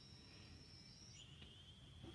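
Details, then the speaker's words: Trial hearing aid with its battery in, held to the ear. Thin, steady high whistle that drops slightly in pitch: normal feedback as sound from the receiver under the dome reaches the microphones. "a little bit of a squeak gets the sound coming out from the receiver which is this end underneath the dome it's a speaker and it goes to the microphones which are in here and when the two interact it makes a whistle"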